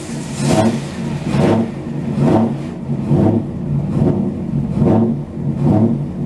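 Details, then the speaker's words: 2002 Mazda MPV V8 running just after a DIY oil change: engine runs evenly with soft rhythmic swells about once a second, no knocks, ticks or misses; sounds healthy. "Well, that sounds pretty good. And that's how you do an oil change on a V8 Mazda."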